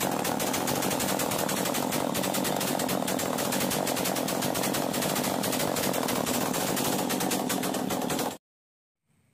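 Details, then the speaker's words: Chainsaw after the top idle screw was backed off to cure racing following a starting-problem repair: rapid, even two-stroke popping holding steady about eight seconds, then stopping; normal smooth idle. "जैसा कि देखा आपने machine start करने के बाद मैंने twinning को कम किया और मशीन जो है वह स्लो हो गया"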